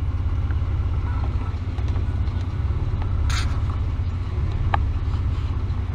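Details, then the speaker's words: 1999 Ford Explorer 4.0L SOHC, cold at idle: low, uneven idle rumble that lopes and wavers, running real bad. Long-term fuel trims run high, later found as a vacuum leak with a homemade smoke machine. Rough idle from vacuum leak. "as you can see it's it's cold now it's running real bad"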